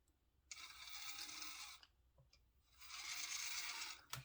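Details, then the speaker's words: ISDT 70 budget ESC (around $25, compared to Hobbywing QuickRun 1080) with active drag brake disabled, adjusted down to a slow crawl: soft, even high hiss-whine in two short bursts, no stutter or cogging; normal smooth low-speed run. "and really it's got a good little you can adjust it down to a pretty little good slow crawl"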